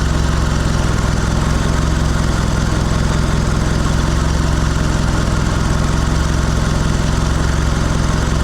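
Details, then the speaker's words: Mitsubishi Lancer CE two-door coupe, first start after reassembly: steady, deep idle that keeps stumbling and never settles, seeming rougher than before; owner wonders if it wants more airflow and notes oil burning off the exhaust. Rough idle from faulty MAF sensor. "actually seems to be running rougher oh maybe be happy with more air flow I don't know"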